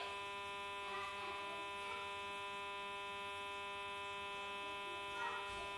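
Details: Samsung J2 phone after disconnecting from a call: steady high electrical buzz with stacked even tones, unchanging; cause unknown.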